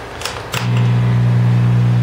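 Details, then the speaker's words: Fender DeVille 212 guitar amp with the original power tube reinstalled, all controls down except master, which is turned up: steady loud flat low hum; suspected cathode or filament-to-cathode short in the power tube. "must have some kind of cathode or filament to cathode short or something but you hear the hum"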